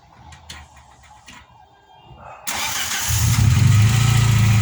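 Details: VW Polo Playa after replacing snapped distributor wiring loom to fix no-spark no-start; short crank, catches promptly, settles into steady even idle, no misses, clean healthy start.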